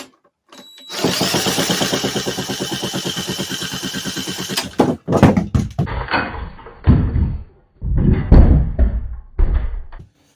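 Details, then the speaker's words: Vintage 1950s-60s Briggs & Stratton, sat 10+ years, drill-cranked after choke found on: steady cranking without catching, then scattered clunks and thumps; spark seen arcing to a bolt instead of firing the plug; old gas also suspected. "It's also arcing through the bolt here."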